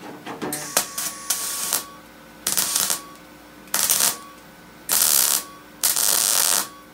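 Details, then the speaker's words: MGB GT restoration, welding on the rear wing: irregular bursts of harsh crackling and spitting instead of a steady sizzle. Paint inside the panel was suspected first; the panel turned out to be lead-loaded at the factory, and the lead contaminates the weld. "horrible Spacey sound you can hear it is probably a little bit of paint inside the panel just like I couldn't even me a little bit of thin"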